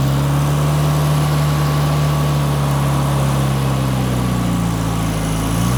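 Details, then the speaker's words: Toyota RA28 Celica Fastback on a quarter choke on a warm day: low drone that wavers unevenly and drifts lower instead of settling. Owner is unsure whether the right vacuum lines were blocked off. Rough, unsteady idle. "all right so that's running pretty well it's not idling as it should uh but like i'm not really sure whether i've blocked off the right amount of vacuum lines and things like that"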